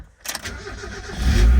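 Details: 1993 Mazda Miata cold start on a rainy day with the top up: a brief crank, it catches at once and settles into a firm, steady idle. The owner suspects a slight exhaust leak that sounds like wind.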